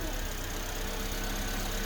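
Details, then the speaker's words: Suzuki Swift just after mass airflow sensor plugged back in and valve replaced; smooth even idle hum, no misses, knocks or hunting, normal idle. "Let's see what happens when she starts it up now. It's running normal!"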